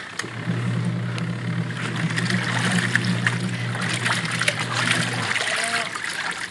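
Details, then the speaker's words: Even low motor hum over sloshing water, no knocking or grinding, from a previously very noisy washing machine that barely spun, after replacing the gear case; now washing smoothly. "smooth na naman yung ating washing machine yan"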